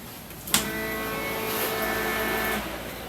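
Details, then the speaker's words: 1993 Chevy S10 with swapped 5.3 LS V8, key on: relay clicks, then steady electric hum about two seconds and shuts off; ECM-controlled fuel pump and fan relay prime cycle, normal. "did you hear the fuel pump and the fan cycle there? You know, just like a normal fuel injected."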